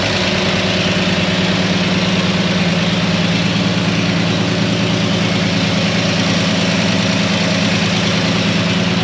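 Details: Antique fire truck at low, steady idle, just started after a broken cylinder-head bolt was removed: even firing rhythm, no ticking, missing or knocking. No leaks seen; runs smoothly.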